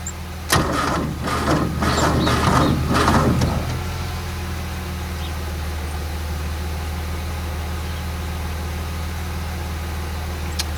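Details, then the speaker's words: Renault R10 sitting over 20 years, probably day three of start attempts: slow labouring cranking for about three seconds with no catch, then a steady hum; owner thinks not enough power to spin the engine, possibly poor battery terminals or manifold air leaks. "certainly wants to start but just haven't got enough power I don't think to spin the motor quickly enough"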